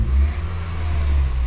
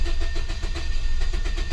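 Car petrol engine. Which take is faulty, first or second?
second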